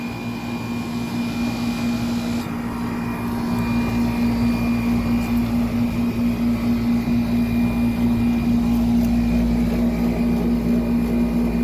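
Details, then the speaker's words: 1995 Tempstar 5000 air conditioner condenser, 30 years old, cooling at its first 2025 startup; owner says it is slightly low on refrigerant but not leaking: steady deep roaring compressor hum at constant tone and loudness, running smoothly and healthy. "Just take a minute to enjoy that compressor sound. Roaring"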